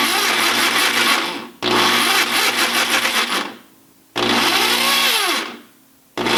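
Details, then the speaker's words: Ridgid R3002 reciprocating saw running: the motor whines up in short bursts with rough gear chatter and no stroking rhythm. The broken, stripped crown gear leaves the blade undriven. "maybe we can turn it on see what it does there's a voice inside says don't do it okay safety glasses there you go broken gear in motion"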